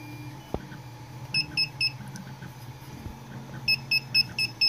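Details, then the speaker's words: Creality CR-10S v2.1 replacement mainboard, USB-connected to computer for firmware flashing, not powered on: short high piercing beeps in groups; fault fixed by installing FTDI driver and TH3D firmware. "you can hear the beeping now the machine isn't actually powered on right now I just have it hooked up to the computer because I'm trying to flash the firmware"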